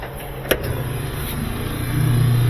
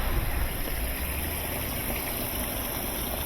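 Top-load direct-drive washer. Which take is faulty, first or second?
first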